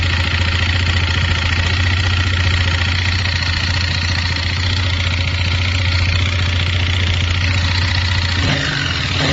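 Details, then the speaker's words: 164FMM single-cylinder motorcycle engine after gearbox failure damaged crankcase and piston; gearbox, cylinder, head and piston swapped but knock unchanged: dull uneven knock about three a second at idle; fixed only by replacing the crankshaft, worn crankshaft knock. "вот поставили другую поршневую с другого мотоцикла вообще и также такой же звук Один в один короче что не поменялось"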